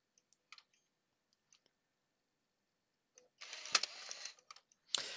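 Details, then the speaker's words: PS4 CUH-1216A (SAC-001 board) after 5V connector repair: faulty optical drive with quiet ticks and bursts of whirring spin-up that stop and restart, retrying and failing to read the game disc, which shows as unrecognized. "It's just clicking and whirring away there. Unrecognized disc. Yeah, not brilliant."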